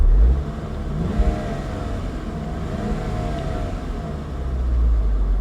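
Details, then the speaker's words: Saab 9-3 SE Turbo after a Liqui Moly 2037 engine flush for low oil pressure and tapping; after driving at 55–70 mph, a smooth engine note rises and falls with the throttle, no tapping, no warning lights. "issues. No issues at all."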